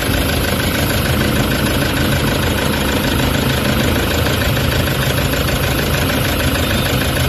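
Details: Toyota Hiace common-rail diesel with vibration, low power and check engine codes P0400/P0406 for EGR malfunction: loud, dense idle with an uneven, shaking undertone rather than a clean beat, attributed to the faulty EGR valve.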